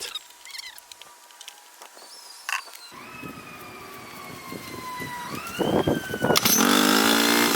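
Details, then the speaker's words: 2006 Honda 2hp four-stroke outboard after carburetor cleaning and adjustment, starting on one pull: pitch climbs smoothly and settles into a steady, even run with no stumbling or misfire; running properly. "it now the engine starts with only one pulled and it is properly running"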